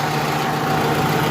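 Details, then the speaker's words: Hot Suzuki Cultus EFI engine idling while fuel injectors are unplugged one at a time for a misfire test: uneven, shaking beat instead of smooth hum as a cylinder drops out, showing that unplugged injector was working. "ये हीट ज़्यादा है, गर्म है गाड़ी, तो देखिए इसको जैसे ही मैंने इसको भी उतारा तो गाड़ी बहुत ज़्यादा वाइब्रेट करने लगी।"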